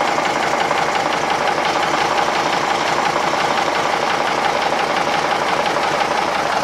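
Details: Marinised Gardner 5LW diesel on a test starter, running a steady, even idle with a clean, regular knock at about three beats a second and no misses or odd noises; normal idle.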